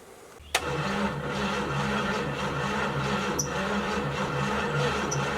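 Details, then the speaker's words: 1972 Chevy G10 van, 307 small-block V8, automatic, sat since 1997: after the old starter would not crank even when jumped directly, a new starter clicks and cranks steadily, and the engine catches into lumpy running with a low chuffing beat. "starter would not crank over no matter what I did I jumped jumper cable straight to it there's a brand new one so I'm gonna throw it in we'll see if the engine will crank over"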